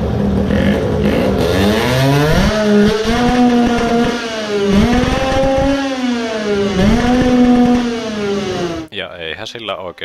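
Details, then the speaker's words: Tuned 20 hp two-stroke moped on dyno, revving to about 14,000–14,500 rpm, carburettor weights tested: high whine climbs and sags with stumbles and dropouts near the top; misfire under load, owner suspects it now runs lean. "I think it actually may run lean now. because the misfire sounds more like "coughing" or hard t"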